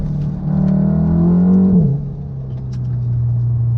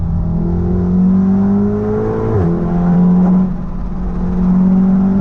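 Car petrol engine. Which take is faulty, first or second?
first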